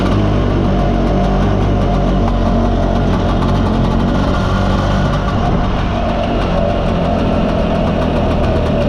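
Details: Mostly original Spanish Lambretta Jet 200 (Serveta) two-stroke on test ride after carb slide cutaway changed from 1.2 to 2.2; steady, even running, no stumbling, popping or hunting; mid-range spluttering cleared, main jet seems about right.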